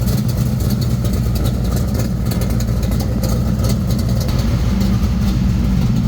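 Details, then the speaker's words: 1979 Monte Carlo at idle just after a new exhaust was fitted at the muffler shop. A deep, even low rumble with no misses, knocks or ticks; the engine still runs fine and sounds healthy and settled. "Crank it up. Sound pretty good. Still running fine."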